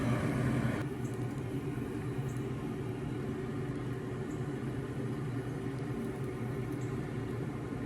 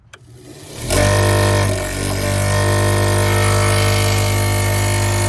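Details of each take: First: American Standard gas pack package unit after repair: even low steady hum with a few light clicks and no rattle or scraping, previous noise gone, inducer running smoothly. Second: American Standard gas pack package unit, no-heat call: inducer starts with a loud rough hum and fluttering uneven whir from a broken, out-of-balance blower wheel; inducer faulty.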